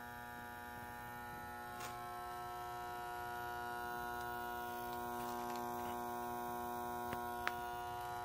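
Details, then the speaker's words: Oil-fired water heater burner, reset after blinking green with no hot water and plenty of oil: loud steady electrical buzz, likely from the transformer, with a couple of faint clicks and no ignition; burner hums but never fires. "pretty sure it's coming from the transformer and then there are a couple little clicks that I think you may have heard hopefully and that's it"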